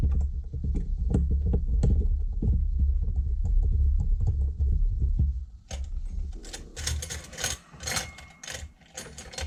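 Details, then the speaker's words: RC nitro engine turned over by hand: uneven dry clicks and scrapes about two or three per second with no firing; engine is dry and burnt up, seized. "Yes, he is. He's burnt up. Burnt up, burnt up."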